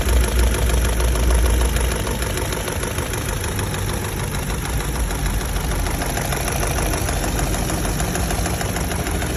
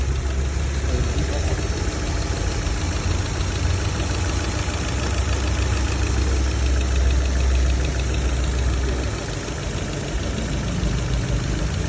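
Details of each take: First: Chevrolet Lacetti SE / Cruze petrol engine, warm after 30 minutes running, at idle: a steady ticking knock about three beats a second through the low engine drone. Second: Chevrolet Lacetti SE / Cruze petrol engine after knock repair, idling smoothly with steady low hum and only normal light injector ticking, no knock.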